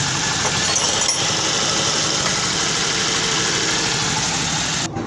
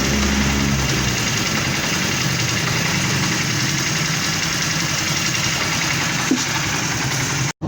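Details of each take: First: Honda CD 70 motorcycle engine making a harsh metallic noise when the clutch lever is pressed. The cause is a worn clutch release bearing, number 6000, which is being replaced. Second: Honda CD 70 single-cylinder motorcycle idling steadily and evenly, no knocking or grinding from the clutch side; clutch bearing (6000) job for engine noise on clutch press.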